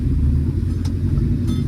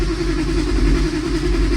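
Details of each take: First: 1965 Plymouth Barracuda with 360 V8, Magnum heads, EFI and Tremec TKX five-speed: deep, even rumble with no stumble, knock or miss after idle fuel mixture was leaned back down and timing curve corrected; normal running. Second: 1965 Plymouth Barracuda LA 360 with Magnum heads, Sniper EFI, Tremec TKX five-speed: runs lumpy and stumbles twice, with the electric fuel pump found wired backwards — rough running from reversed fuel pump wiring.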